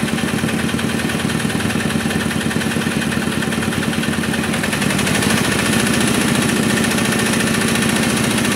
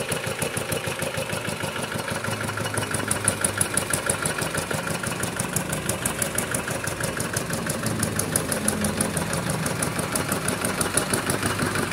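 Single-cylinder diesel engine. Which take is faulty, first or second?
first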